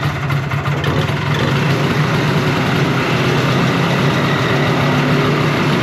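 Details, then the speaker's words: 1970 Evinrude Skeeter snowmobile two-stroke, first start after sitting, untuned: rough idle that keeps creeping up in speed rather than holding steady; surging, owner suspects an air leak. "did you hear how it's like wants to rev up a little more once it gets going I think there's air coming into it"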